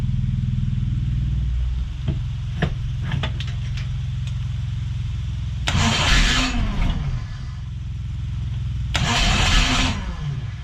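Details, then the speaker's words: Rebuilt damaged crossflow race engine in a TVR Vixen with loaned cylinder head, cracked part found, battery somewhat flat: cranks a couple of seconds, catches, steady lumpy idle with two rev blips; normal start and idle before warm-up. "and of course at the moment seems like it runs through a winner we'll see how it goes"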